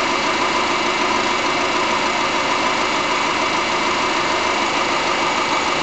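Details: 2005 Subaru Forester, about 2 years old, EJ25 non-turbo engine, hollow, loosely regular slapping knock about three per second at steady idle; owner suspects piston slap, unconfirmed.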